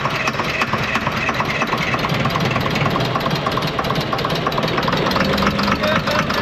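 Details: Ex-US Army Cat D6R bulldozer, 822 hours, first start after sitting inoperative, very smoky: loud, uneven diesel clatter with lumpy irregular beat; running on five cylinders, one injector not clicking well.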